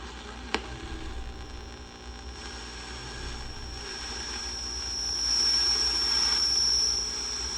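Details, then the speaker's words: 1949 Packard Bell AA5 radio, model 100A, being tuned across weak stations: a thin, steady high whistle over the static is interference from a sewing machine running in the adjacent room. "some of that high pitchedness is uh coming from my wife's sewing machine and the adjacent room it's turned on right now"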